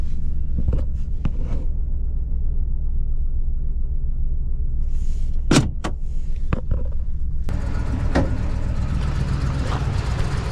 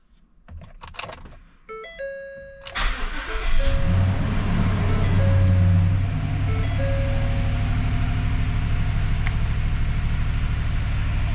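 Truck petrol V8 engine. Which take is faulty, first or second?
first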